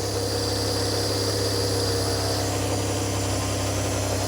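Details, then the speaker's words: Barn-find rear-engined Czechoslovak Skoda, long stored, run with fuel fed into a jug, on choke. Steady, fairly quick idle with even low drone, no knocks or stumbles; fast idle on choke. "Got on choke. You see got on choke."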